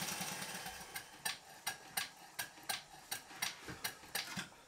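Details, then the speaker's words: Small showman's engine model test-run on compressed air after a new flywheel centre fitting, with all moving parts lubricated. Crisp light clicks at about 80 a minute over a soft steady run are the mechanical lubricator ratchet; it runs normally. "I'd better mention that the click you can hear is the ratchet of the mechanical lubricator"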